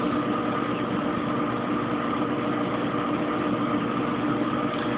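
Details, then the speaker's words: Kenmore Oasis top-load washer after an OL-code repair: at about 15 minutes left the spin hums smoothly with a steady tone and no grinding or thumping, though not yet at full high speed. "It's not really a high-speed spin yet. This baby really gets to going when it's in full swing."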